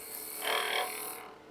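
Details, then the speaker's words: Wood lathe at about 2300–2400 rpm, spindle roughing gouge cutting a taper while turning an egg: steady cutting hiss with a fast, light ticking each turn as the gouge passes over a small knot in the wood. "now as i cut this i'm cutting on a taper right there then you can hear that little knot"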